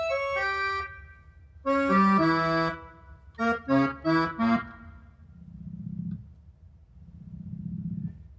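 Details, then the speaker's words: Roland FR-1x piano accordion after power-on: chords with wrong notes and rough low growl on top keys; keyboard set to FR-1xb button-accordion mode, fixed by switching back in test mode. "That's how you can tell if this is your problem. If you're getting this growl, you can try to fix it this way."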